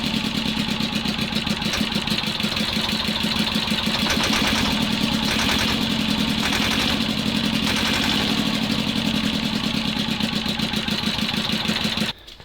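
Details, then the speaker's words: T-16 tractor diesel after owner adjusted a valve that was so tight it likely had no compression; loud, uneven clatter at idle with ragged stumbling beat; owner suspects the valve was sticking and he set it wrong. "Сейчас после моей регулировки вот такая вот какая-то фигня. Слушайте, я не понимаю. Сейчас буду разбираться, но что-то не то."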